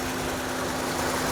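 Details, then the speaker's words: 2016 Ford Transit Connect, 2.5L Duratec, 93,000 miles, idling below 1,000 rpm right after spark plug replacement: steady even hum with no misses or knocks; slight shaking is normal for this engine, no misfire. "so for this one you see it is shaking a little bit but that is normal for this engine has 93 000 miles on it and it's always exhibited this behavior"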